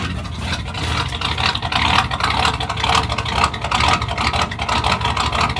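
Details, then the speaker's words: 1986 Ford F-150 that only starts when cranked with the pedal floored and may not idle: uneven, lumpy idle with an irregular stumbling beat of about two pulses per second; rough running, cause unclear. "see it runs like crap sounds like crap amazing this thing"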